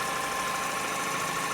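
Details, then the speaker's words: Mini One (DV58MZT) idling steadily after a camchain change and temperature sensor replacement, about 15 minutes after start-up. The idle is smooth and quiet, with no knocks, ticks or rattles standing out: normal idle. "i left the car running while i put the car back together it's about 15 minutes now running smoothly quietly as you can hear i think it's uh pretty decent"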